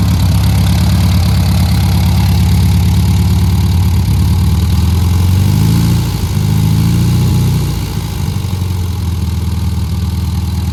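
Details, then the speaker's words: 1300 air-cooled Beetle engine with a new distributor, which had been 180 degrees out, plus retuning and full rewiring: smooth, even low idle holding its rhythm with only a slight dip, now running sweet after the earlier knocking. "Take a listen, and I think it's running sweet as a nut. Done a little bit of tuning, completely rewired it."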